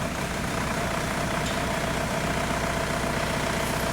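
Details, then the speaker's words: 2002 VW Beetle 1.9 TDI ALH at idle, after raising minimum IQ setting to fix slow-down shudder: even diesel clatter about two and a half beats a second, no stumble or shake, runs smoothly. "notice we have a smooth-running engine now camera's not shaken"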